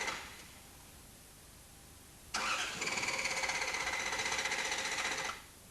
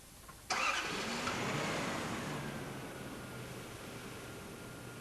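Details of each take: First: Toyota TCCS engine with a shorted airflow meter supply circuit: steady starter cranking for about three seconds but no combustion. Check engine light stays off at ignition on and no diagnostic codes show in normal or test modes. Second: Toyota TCCS engine after the throttle position sensor IDL contact was readjusted: a quick crank, then it fires and settles into a calm, steady idle. Idle speed is back to normal and the diagnostic code reads normal.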